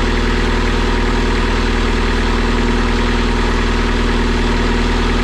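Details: Boat inboard engine test run at the dock after rebuilding the raw water pump and torquing the thrust bearing set screws: steady, even idle, regular low thump about four beats a second, no knocks or misses; oil pressure 40 psi, water temperature rising; normal idle.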